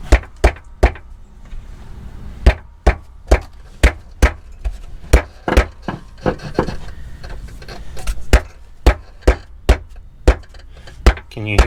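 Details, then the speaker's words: Crown Vic rear clunk/knock reproduced by pushing on the quarter panel: heavy dull clunks about twice a second; control arm bushings suspected, but the cause was loose sockets rattling inside the car. "maybe it's a can of monster energy flopping around in the floor pan maybe there's a rock in the frame rail"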